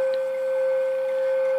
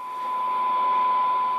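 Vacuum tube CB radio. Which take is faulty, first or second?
first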